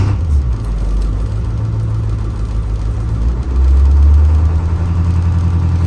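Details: 2004 IC CE200 school bus with T444E 7.3L diesel, cold start at 24°F after an ice storm, block heater plugged in; deep steady rumble settling into a firm, even high idle, no knocks or misses: normal cold start and high idle.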